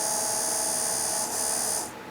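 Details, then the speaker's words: Dio dual electric radiator water pump, jury-rigged to a good 450 battery: thin, steady high-pitched whir holding an even pitch, then cutting off; small electric coolant pump running normally. "And then the little fan in this one. And they make a neat little noise. It's nice when you go to start your bike and you turn the key on and the pumps go on."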